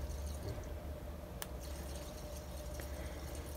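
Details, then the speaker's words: Water circuit pump at about 0.8 bar, just switched off and on to purge: soft gurgling and dripping over a low pump hum as trapped air works through; the pump is airlocked and bleeding. "a teraz chyba Pompka jest zapowietrzona z o.o w taki sposób właśnie zawsze robię wyłączyć włączyć No i słychać że się od powietrza"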